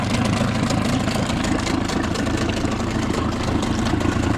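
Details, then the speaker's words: Outboard on lowest idle in a bucket under load test, peeing good water, gear oil black but not milky; steady low burble with water splash, no misses or knocks; normal idle. "we're running this thing for like maybe 30 minutes, close to an hour, just testing it under load, making sure the idle's right, all that kind of stuff."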